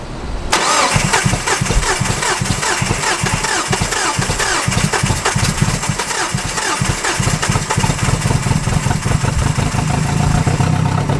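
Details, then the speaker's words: Neglected Nissan Frontier four-cylinder on a freezing day, cranked with oil added to the cylinders: catches after a few cranks, loose uneven chuffing beat, heavy smoke; really bad low compression from shot rings or worn cylinder walls, needs rebuild. "Well, now that my neighbors are really concerned, yeah, we know what's wrong with it. It's got really bad low compression."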